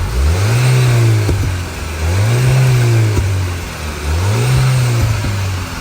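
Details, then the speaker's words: 2010 Volkswagen GTI after replacing the leaking rear muffler exhaust sleeve clamp: three free revs with a deep, smooth exhaust note and no puffing or hiss, much quieter, exhaust now sealed and normal. "All right, now we're gonna go ahead and start it to see what it sounds like now that there's no hole in the exhaust. So much quieter."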